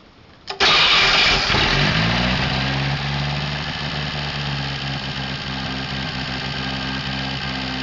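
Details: Atomic 4 petrol inboard engine in a small homemade wooden boat, fuel pump on, alternator off, a little throttle, no choke: catches almost at once and settles into a smooth, steady idle.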